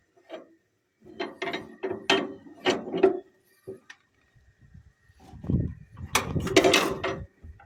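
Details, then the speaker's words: 1938 Allis-Chalmers B with rare Waukesha engine, hand cranking with good compression: bursts of ratcheting clicks then a crisp snap each turn; magneto impulse coupling tripping normally. "And it does turn over and has really good compression. The guy I got it from said that it runs really good. And the impulse on the mag is working. You can hear it."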